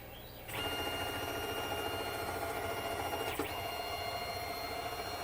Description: I had a clicking noise all of a sudden on my Tormach slant pro lathe. They said to check the Z pulley belt. Bam! The little pin was coming out.